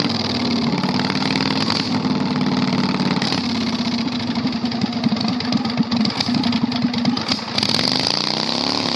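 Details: 670cc Predator V-twin go-kart after carburetor fix, on test drive: very loud, harsh, crackling bark rising and falling with throttle, no muffling; exhaust completely open.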